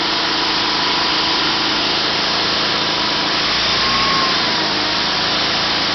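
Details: 1974 Sears Suburban SS/16 garden tractor, 16 hp opposed-twin Onan, out of gear at full throttle on temporary fuel tank: high steady hum, even pulse, no misses; runs good, though it surges below about a third throttle.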